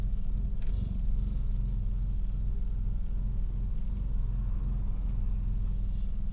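Low rumbling idle with an uneven, stumbling pulse in the lows and no steady rhythm, consistent with a cylinder misfiring.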